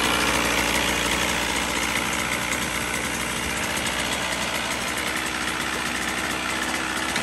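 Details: 1977 Evinrude 35 hp two-cylinder two-stroke outboard, ignition timing set manually, first start: busy, rattly idle with fairly even beat near four pulses a second; holds a steady idle, not yet tested under load.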